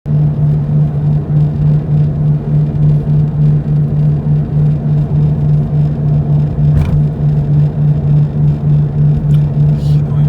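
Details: Toyota 86 ZN6 automatic, 57,000 km, driving: a steady low drone under road noise with a slow wah-wah pulse heard through the whole cabin floor, likely from the wheel area. Cause is play in the hub bearing.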